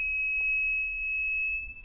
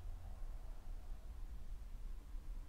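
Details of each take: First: Reliable Electric WZRELB 3000W pure sine wave inverter (older model), inverter left on while battery is disconnected: single high steady beep lasts well over a second, then trails off as capacitors drain; normal capacitor discharge beep, little charge left. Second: WZRELB 3000W pure sine wave inverter, battery connected, switched off after charging: near silence then one short high beep about a third of a second; normal shutdown tone, not capacitor discharge.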